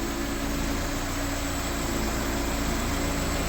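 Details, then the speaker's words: EF Civic sedan after timing belt work, idling rough with an uneven, wavering, shaking beat. The owner suspects fuel starvation or a very lean mixture, but there is fuel in the tank and no gas smell. "oh yeah she's shaking like she's running out of fuel but I know I've got fuel in there"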